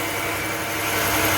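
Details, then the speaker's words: 2006 Chevy Impala LS running after the torn wires are pushed together by hand. Smooth, even idle with a steady hum and no misses or knocks. It stops as soon as the wires are released. Normal idle. "That's what it is. Car running just fine."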